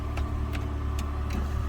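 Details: 2007 PT Cruiser idling just after replacing the TIPM, to cure stalling once warm (fuel pump, filter and coil pack were already replaced): low steady hum with a few light regular ticks, no stumbling or surging.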